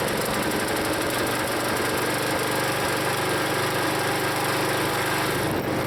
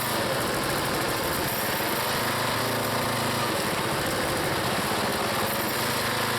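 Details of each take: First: Used log splitter's small single-cylinder engine, long known as rough, before Seafoam: uneven, lumpy running, note sagging under hydraulic load as the piston is pulled back past a point; rough running and bogging, cause unknown to owner. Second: Small single-cylinder log splitter engine on a cold day, Seafoam added, working through firewood: busy, even drone at steady speed with no sputter or surging. The owner once suspected an engine problem, but it runs good.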